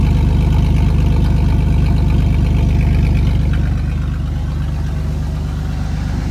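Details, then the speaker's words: 1999 Chevy S10, 4.3L V6 automatic, idling after the rear catalytic converter (of two) was sawed off by thieves: deep, loud, throaty idle with steady low pulse, much rawer than stock, like a muscle car. "how can you see a sound all right sounds like a muscle car"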